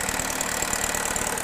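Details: GM engine under variable valve timing diagnosis, intake cam phaser wired to jumper leads while idle stabilizes: busy, clattery idle with uneven pulsing beat over the engine note; rough and noisy, cause unclear.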